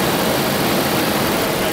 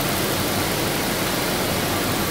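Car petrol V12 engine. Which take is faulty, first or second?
second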